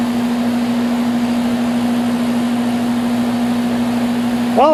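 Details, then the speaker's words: Central A/C outdoor unit, first-floor system, on restart after repair: a steady, even low hum with no clicking, rattling or stalling; the compressor is running normally and the unit is saved. "hasn't blown up yet so I think we fixed it this one's saved"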